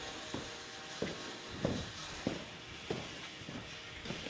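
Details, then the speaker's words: 2022 Ford F350 XL dually during service, after fuel filter change; uneven hissing spurts about one or two a second under the hood as the fuel pump pushes air out of the filters until primed; it then fired right up: fuel system priming, air purging. "That is the fuel pump pumping air out of the filters. So we got to keep doing that till it's primed. It should change noises eventually."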